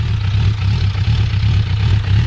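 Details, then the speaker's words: Four-cylinder motorcycle idling after starting on a nearly dead battery: low, smooth, even burble with steady pulse, no knocks or rattles, quiet muffler; runs really well, needs only carb clean and small oil leak fix. Normal idle. "Actually sounds really good. I like how quiet the muffler is. It's not overly loud, and it runs really well."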